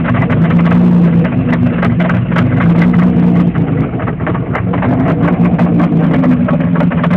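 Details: 3.4 DOHC Pontiac Fiero engine running loud and rough, uneven clatter of sharp ticks over a droning low hum; source of the loud engine noise unclear.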